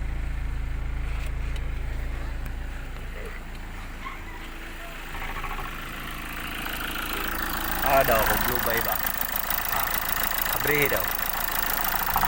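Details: Hyundai Accent CRDi diesel after fixing a crank-no-start with CP1 pump work and injectors removed and refitted: settles into a steady, even idle with a low, constant beat and no misses or knocks; normal idle.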